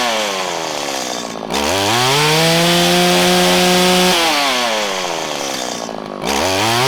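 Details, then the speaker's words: 1997 Stihl Pro Series FS two-stroke trimmer during high-side carb tuning at full throttle: a steady high scream with only weak four-stroking stutter, less than it should, suggesting the carburetor is due for a rebuild or replacement. "okay so right now it's four stroking about as much as it wants to and normally i would call a problem with this because it's not four-stroking as much as i know it can"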